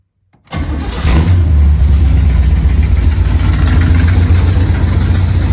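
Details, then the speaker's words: 1969 Pontiac Firebird with Holley Sniper EFI: engine settles into low, uneven loping idle about three to four beats per second; swapping injectors moved the fault, confirming a bad, not spraying (possibly clogged) injector, not the computer. "Good. Bad injector. I'm happy it's a bad injector and not a bad freaking computer."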